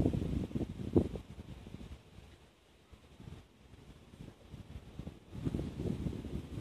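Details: Yamaha DTR 125 two-stroke, first start after fitting a new unrestricted Gilera CDI, with a Big One exhaust, 240 main jet, powervalve fully open and new seals, on a battery charged for about half an hour: crisp blips with wind noise, runs cleanly with no misfire.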